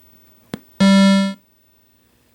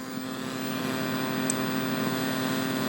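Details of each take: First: Midway Wolf Unit arcade PCB (Mortal Kombat 3) after replacing the socketed audio op amp: power-up gives a short clean synth tone then near silence, no hiss or static; audio output clean. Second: Midway Wolf Unit arcade board, Mortal Kombat 3 revision 1.0: steady low hum with hiss and faint buzzing under the game audio, worse while the game runs than at ROM check. Audio amplifier static traced to a faulty op amp.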